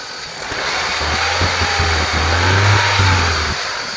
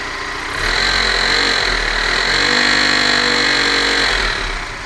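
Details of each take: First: BMW E46 318i M43TU engine after balance shaft removal (balance shaft bearing shell had failed, causing knock): engine picks up and revs smoothly with even low drone and no knocking underneath; normal running. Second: BMW E46 318i with M43TU four-cylinder idling then revving briefly, dull rhythmic bottom-end knock traced to the balance shafts; oil pan removed to inspect.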